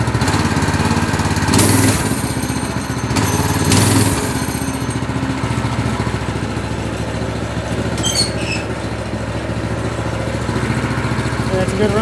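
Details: Replacement single-cylinder go-kart engine on fresh gas, started after the original blew. It catches, blips twice, then settles into a steady, even idle with no knocks or misses; it runs healthy.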